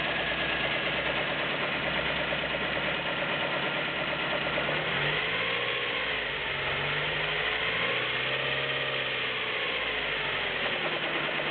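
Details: Nissan Micra 1.0 16V at idle: a light, quick ticking over a slightly wavering idle; owner suspects valve tapping.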